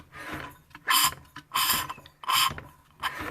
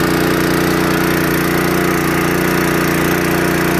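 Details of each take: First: Seized, water-damaged Honda water pump engine, hand-cranked after being freed with oil in the spark plug hole; uneven hissing, rasping bursts instead of firm compression, low compression with air suspected leaking past a stuck inlet valve. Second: Restored seized, water-damaged Honda water pump engine after carburetor cleaning and adjustment, pumping water from a barrel: even, steady small-engine drone, smooth low beat, no knocks or misses; runs healthy under pumping load.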